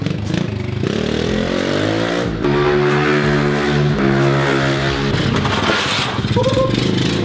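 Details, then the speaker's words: Kawasaki KLX 110 with a prior jetting problem, hot after several wide-open-throttle passes: small single revving hard in repeated rising pulls with a thin, strained top end; white spark plug shows it running lean, jet to be enlarged. "all right so I was wrong I thought it was rich before but uh I don't know if you can see see this it's looking pretty white so uh we're definitely lean"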